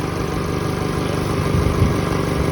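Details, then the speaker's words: Toyota Camry ACV41 2.0 petrol engine after home overhaul for white smoke and oil consumption (new rings, all seals replaced), tuning still to follow: smooth, steady, even idle with no ticks, knocks or stumbles; running cleanly. "จะค่อยไปปรับจูนอะไรต่างๆอีกทีนึงนะครับเครื่องก็เดินเรียบๆเลยนะครับ"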